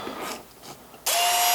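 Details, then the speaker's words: Makita XMU04 cordless grass shear motor wired straight to the 18 V battery through the switch, about 18.7 V: snaps on to a steady even high whine, no stutter or grinding; runs normally. "it works like a hot damn"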